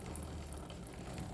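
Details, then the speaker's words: Ray 50 Turbo scooter chain drive after lubricating the dry chain: smooth even low whirr from the turning wheel with no squeak or rattle; dry-chain noise gone, chain drive normal. "Então lubrifiquei e acabou o barulho. Mantenha sempre sua corrente lubrificada para que não possa causar danos à sua tração, né?"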